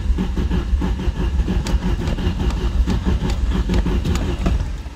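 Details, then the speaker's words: 1989 Chrysler Shadow, cranked after much more CarbuClean: uneven starter churning, about three beats per second, with occasional firing pulses as it jerks, trying to start. Owner suspects a fuel problem. Cranking, no start. "Se siente ya... Bueno, empieza a jalonearse un poco, como queriendo arrancar. Puede que nuestro problema sí sea la gasolina."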